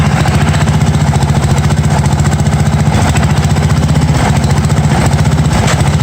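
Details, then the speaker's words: 1982 John Deere 108 mower, first start: lumpy single-cylinder idle of about 220 beats a minute that stumbles now and then. Runs poorly; jet adjustments did not help and owner says the carburetor needs replacing. "definitely gonna need a different cobbler this one of a kind of screwed I try to mess around with the Jets everything"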